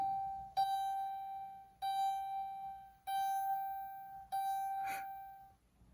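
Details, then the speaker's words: 2012 Dodge Caravan, key turned to run without starting during a relearn procedure after TIPM replacement: four clear single dings about 1.25 s apart, same pitch; normal key-on chime sequence. "wait till you hear the second set of dings there you go turn it off take the key out wait another five to ten seconds put the key back in turn it to hear the run the first ding"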